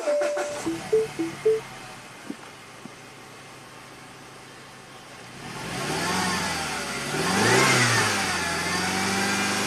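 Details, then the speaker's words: Stuck (mechanically, electrically fine) number three fuel injector on a 2010 Mini Cooper with 100,000 miles, after head and timing chain replacement: engine cranks, catches and runs roughly on three cylinders, dead-cylinder misfire; injector didn't click with test light. "the injector is just mechanically stuck electrically it's perfect that's why it wasn't clicking when we tried it with the test light so that's it we're done we have a stuck injector number three on this Mini Cooper"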